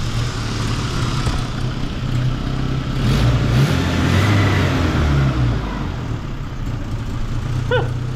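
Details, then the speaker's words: Geo Tracker with freshly rebuilt engine, idle timing about 8° BTDC, being revved: engine climbs and holds with a slightly uneven, stumbling note, a light sputter under throttle, otherwise running pretty good; cause unclear. "revs well sputter in a little bit but I'm not going to complain that's running pretty good"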